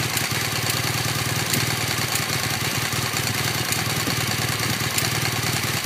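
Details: 2015 BMW R1200GS LC (K50) boxer twin at about 1500 km, idling steadily with a light, quick metallic ticking from the right cylinder over the exhaust beat; cause unknown.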